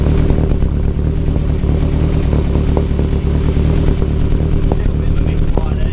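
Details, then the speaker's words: Nova with a freshly finished 3-inch exhaust, idling at about 1000 rpm and running very rich (AFR 10.0) with good oil pressure, before a heat cycle: a lumpy idle with occasional pops and a busy ticking top end. Intermittent misfire suspected; the head is very noisy. "fire there, you can hear it popping every now and then. It's a very noisy head. Very noisy head."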